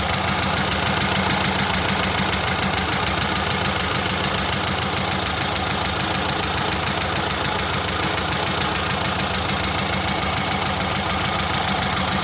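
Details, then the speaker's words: VW Brasília air-cooled flat-four after fuel pump replacement, with the distributor cap refitted: first start, then an even, busy idle with no misses; it is running normally again. "Well, folks, mission accomplished. Brasília is alive again."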